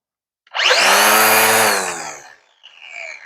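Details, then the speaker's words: Black + Decker LST-522 20V cordless string trimmer, new: motor spins up fast to a high steady whine, holds evenly, winds down cleanly; runs normally with plenty of power. "Definitely sounds like it has some power."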